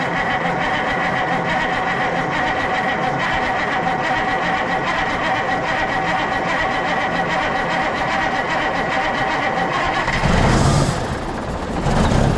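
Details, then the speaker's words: Kenworth W900A diesel after months of restoration, newly fitted and unbled fuel system: steady, even idle clatter, then a short rev blip through the stacks; runs again and sounds healthy, though a fuel crossover tube leaks. "Well, it runs again. That sound really good."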